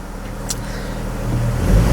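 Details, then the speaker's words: Vortec 4.2 L inline-6 idling after a misfire was found on cylinder 2. Low, even rumble that builds slightly with no stumbles or skips; the idle is much smoother, with the cylinders firing evenly. "This is way smoother."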